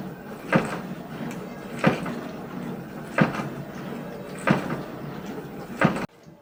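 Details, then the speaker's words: LG 12-place dishwasher mid-wash, recorded at unadjusted volume: hollow bang about every 1.3 seconds over wash noise as the open rinse-aid dispenser lid knocks with the spray; not a fault, fixed by closing the lid. "바로 린스통이 열려있는 것인데요. 몇 번 일부러 흔들어 봤을 때 소리가 그리 크지 않았지만 실제로 내부에서 지속적으로 부딪혔을 때에는 더 크게 울리는 것을 볼 수 있었습니다."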